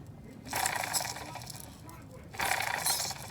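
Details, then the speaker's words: Worn, rough fan bracket bearing on a 1992 Mercedes W124 (M103) being fixed for random overheating. Hand spins give a gritty, rasping whir that fades out. It has no wiggle, but it is a big press-fitted bearing, and a bad one can drop its balls and destroy the fan. "shouldn't sound like that should sound like like that not like that doesn't have any wiggle in it but it's a big bearing"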